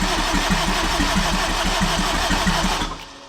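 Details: Turbo AWD Acura RSX (DC5) on a standalone ECU, starter jumpered: engine spun at about three even compression pulses a second, never fires, cranking stops; crank no start. Owner suspects the ECU loses battery voltage while cranking.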